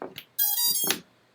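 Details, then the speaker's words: FPV quadcopter powered up after the receiver was fitted: a few short chirps, then a single bright tone of about half a second; the normal power-up signal, with the receiver bound and arming. "cool okay everything bound that's arming that's a good sign"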